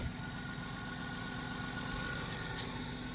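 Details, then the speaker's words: 2000 Chrysler Grand Voyager SE, 114,000 miles, just started after 8 years parked, accessory belt cut off: quiet even idle with soft steady beat, no ticking or knocking; normal idle. "It's so quiet because nothing's spinning. It just fired right up. You You poor thing. Listen. It doesn't even tick. Why does that sound so good?"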